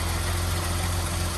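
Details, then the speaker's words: 1982 BMW E21 320 two-door automatic, very low mileage, six-cylinder idling after start, bonnet open: deep steady hum, no ticks, knocks or hunting, very smooth with no funny noises; normal idle. "Very smooth. Not making any funny noises."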